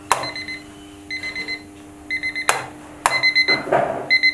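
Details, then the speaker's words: Time piece (clock) buzzer that was quiet, sound raised by the quick fix instead of replacing the buzzer; short shrill high-pitched beeps, about four pulses per burst, repeating with sharp taps between: normal loud alarm buzzer. "Sound बढ़ जाएगी। तो इसमें क्या है, साउंड बढ़ जाती है तो चेंज करने का कोई ज़रूरत नहीं है।"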